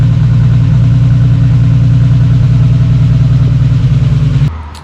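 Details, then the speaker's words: Holden VL Turbo Commodore after timing belt install, started cold and firing first go with strong oil pressure: smooth, even low idle, no ticks, knocks or smoke, belt tension fine, until switch-off; engine healthy. "Alright, so the VL's back up and running. No dramas, no damage, no smoke, idle's great, just like it was before. Belt tension seems fine, no weird noises or anything like that, which is great."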